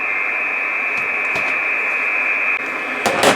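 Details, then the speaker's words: Icom IC706 HF receiver near a new 12 V 30 A switching supply in a metal case: hiss with a steady high-pitched whistle around 2.9, interference from the supply's front-panel display, peaking near that part of the case. "so this one here on 2.9 is coming from the display he peeks up around this part of the case"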